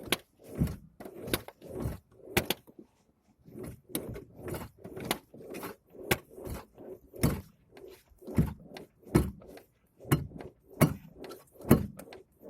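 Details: 2009 ZAZ Chance 1.3 with power steering, torn steering rack boot: dull thunks every half to one second in time with rocking the wheel, no engine running; strong knock when turning, owner suspects the steering rack.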